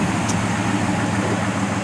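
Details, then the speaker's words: 1970 Dodge Coronet 500 convertible, 383 big block, idling outside at night with the hood open; deep even exhaust burble with a steady beat and no knocks or misses. "and while it's out here we'll catch that really nice exhaust note of it or that 383 rumbling yeah sounds good"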